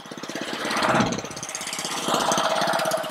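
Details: Honda-powered Ryobi 3100 PSI pressure washer that won't stay running: fast, rattly putter surging and sagging, running only on choke, so a carburetor issue is suspected.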